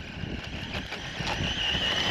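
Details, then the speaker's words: Traxxas Mini Slash 4x4 RC truck running with GTR Mini-Max shocks: rough, scratchy grinding over motor whine, sounding like gears; front tire rubbing on overlong bumper, planned fix is shaving the bumper. "Just sounds like it's just freaking gears are freaking grinding, but it's rub. Got to fix that, Traxxas."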